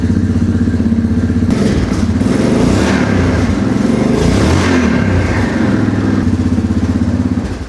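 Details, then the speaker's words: 2009 Yamaha Grizzly 700 ATV, under 6,000 km, bought as a parts bike; fires straight up on a new battery in neutral, blips, then settles to a steady even single-cylinder idle; normal start and idle. "Let's try her out. We got power. We're in neutral. Oh. She fires right up."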